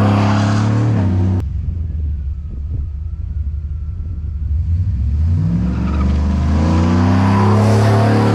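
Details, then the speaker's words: Lowered NBS GMC Sierra V8 with new Speed Engineering catback exhaust, wide open throttle outside: deep rumble swells hard and falls back smoothly, no rattle heard outside; healthy loud aftermarket exhaust. "I'm gonna do some wide open throttle in front of the house so you guys can kind of hear what it sounds like that way"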